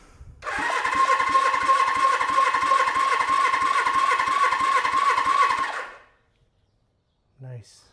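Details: Suzuki GS750 four-cylinder cranking on a new battery during compression testing (100–105 psi on all cylinders): steady, even, strong starter cranking with regular compression pulses.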